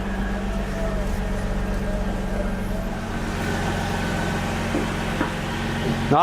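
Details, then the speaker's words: 2004 Ford Mustang that sat in the desert for a couple of years, running after its first fix: a steady, even idle with a low constant hum and no knocks or misses. Sounds healthy; a bent cooler line still needs attention. "Well, she runs. Actually sounds pretty good."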